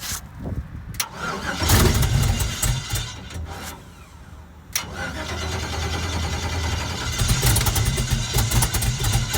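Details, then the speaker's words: Race car engine with a broken exhaust header: cranks and catches into a rough, uneven idle with raw, spitting exhaust; exhaust leak from the cracked header, needs welding. "I'll fire it up but uh it sounds like cuz it's got a broken header somebody needs to learn how to weld or something"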